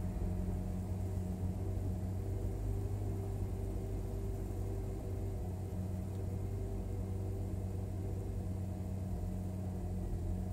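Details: Hyundai Veloster Turbo on a cold start at high idle hums fairly evenly with occasional faint stumbles; one cylinder misfires from a faulty coil pack, with misfires much less frequent once warm.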